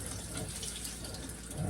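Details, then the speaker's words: Narrowboat fresh water system with Jabsco pump and accumulator tank on a temporary switch: steady rush of water with a low hum underneath; decent, normal flow, the pump sometimes cycling on. "So sometimes if you turn it on, the pump will come on. Sometimes you turn it on, it won't. There's a decent flow there."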